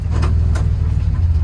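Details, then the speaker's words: 1984–87 Buick Turbo engine after TPS and IAC reset: starts and settles into a smooth, even low rumble with no knocks, misses or whine; healthy start and idle. "All right, so after resetting the TPS and the IAC, here's what startup looks like. Startup sounds good."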